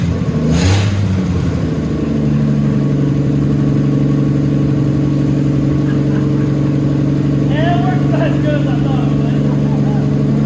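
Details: Ford F100 that sat about 44 years, restarted with its fuel pump not pumping (line disconnected, tank bone dry): engine catches and runs steady with a firm, even rumble and clean throttle blips; sounds healthy.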